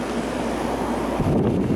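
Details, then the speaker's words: 1982 Emerson Quiet Kool 7400 BTU air conditioner: steady rushing airflow swelling slightly as fan goes to high, low compressor hum beneath; power draw rises slightly, blowing cold. Normal high fan operation. "I put it up to Super or high and power bumps up a bit but not that much especially after the fan gets kicked up"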